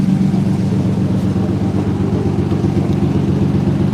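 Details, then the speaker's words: BMW E85 Roadster just after starting: idle with lumpy uneven beat of about four pulses a second; brief rough misfire expected to clear up. "Sounds like she got a little bit of a rough misfire for a second. Give it a second and it'll she'll clear up."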